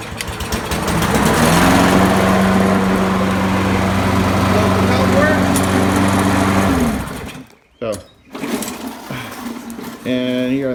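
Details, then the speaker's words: Free Poulan 22-inch self-propelled mower, Kohler 149cc 6.75 engine, previously run without air filter, pull cord too short; single-cylinder engine runs steady and even for several seconds then cuts out, running normally. "previously shown um this mower does run but the pull cords too short"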